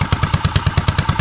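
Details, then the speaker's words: Custom Motovox mini bike, neglected and brought back after old gas was cleared from the carburetor, idling. Quick punchy thumps about six a second with a slight lope to each beat from a performance cam, running fine. "Ooh, y'all hear that cam, gang? Y'all hear that cam?"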